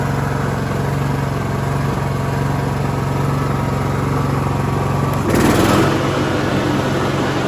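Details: Cub Cadet LT1045 riding mower (276 hours) after repowering with a replacement engine, the original having a cracked block and seizing: single-cylinder chugs at a steady, even beat with a brief clunk midway as the clutch engages; normal running.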